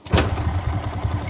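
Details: Motorcycle single-cylinder engine, already fairly warm, started for carburetor tuning: slow, lumpy idle with soft low thuds; idle speed too low and needs raising before tuning.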